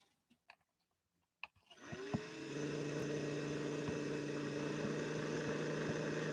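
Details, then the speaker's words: 1961 Singer 401A sewing machine with a tower motor and metal worm gear, run from the foot controller: clunks, then spins up to a steady but slow hum, nowhere near full power; cause suspected, not confirmed. "that's still nowhere close to full power slide the balance wheel back on again"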